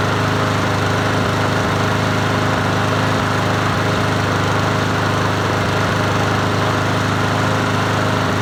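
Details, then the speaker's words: Troy-Bilt TB110 push mower, 550ex 140cc engine, after a carburetor replacement, running: steady small-engine sound with an uneven thumping pulse about three times a second underneath. The shake was first suspected to be a dull or unbalanced blade; a bent blade adapter was then found. "oh per it's got a shake though but that could be the blade probably needs to be sharpened and and balanced so we'll go take that off"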